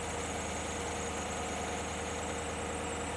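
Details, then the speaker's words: 2016 Chevy Tahoe 5.3L with code P0128 and electric cooling fan that wouldn't stop: at idle, smooth even hum with constant moderate fan whoosh, no longer racing like before; fan behaving normally. "So engine is running. First thing I'm noticing is the fan is no longer spinning fast like it was doing."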